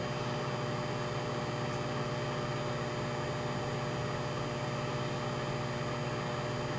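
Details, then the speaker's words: Panasonic microwave oven after repair, heating a cup of water for 30 seconds, drawing 14 A, 1.6 kW at 115 V: steady low hum, even buzz and fan whir, no arcing or crackle; heating normally. "it's working. I say I'm only heating it for 30 seconds, so this will just make the water a little bit warm."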